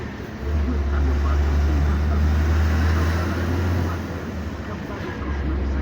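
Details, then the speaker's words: IVECO truck with a Fuller 12JS160T gearbox after rebuild with a full synchronizer kit for gears 1-6: deep, even drone while pulling, with no whine, grinding or clunks; gearbox runs well with good speed and power. "ሙሉ ቃን የቀየርንለት የ1 2 የ3 የ4 የ5 የ6 ሙሉ ሲንክሮናይዘር ኪት ነው የቀየርንለት። አሪፍ ነው በጣም።"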